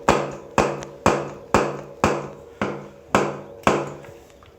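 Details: Mountain bike coil-spring front suspension fork, bounced by hand: sharp hollow knocks about twice a second; the fork was said to be new two or three weeks earlier and the owner suspects rebound.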